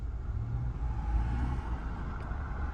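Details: 2020 Nissan Altima after the fuel injector was replaced and code P10C3 cleared: a low, even idle rumble with no stumble or shake. The engine now idles smooth and healthy.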